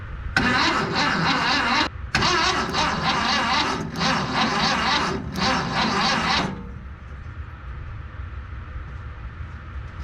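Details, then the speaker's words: VW Bus engine just installed, first start attempt, fuel pump not connected: starter cranks steadily about six seconds with a short pause, never catches; spark confirmed, no fuel, carb to be primed next. "yeah yeah so it didn't really show it in that video but it's got a spark um so I'm gonna put some fuel in the carb and see what happens"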